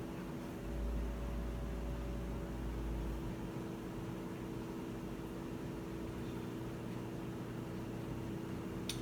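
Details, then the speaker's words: Whirlpool washer that won't spin even after recalibration: only a faint steady hum from the drain pump, with no spin whir. The drum is not turning. "como pueden ver ya llevamos 2 minutos y medio casi en el vídeo y el artículo pues no se mueven aún así no lo voy a cancelar"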